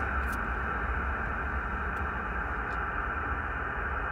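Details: Receiver tuned to 28.400 MHz while driving past neighborhood power poles: smooth even band hiss with no buzzing, rasping or crackle, clean near the AT&T pole; no power line interference heard.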